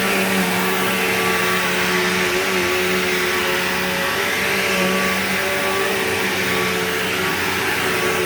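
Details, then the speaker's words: Bissell PowerGlide Platinum 3545-2 upright vacuum running: steady motor roar with a fixed tone around 200 Hz swelling and fading in a slow wah, most noticeable winding down; odd whine, cause unclear. "Yeah, that weird, like, whiny, wordy sound that it makes is really bizarre. I don't know why it does that. Like, it has the normal Bissell sound, but then it also has that wah noise."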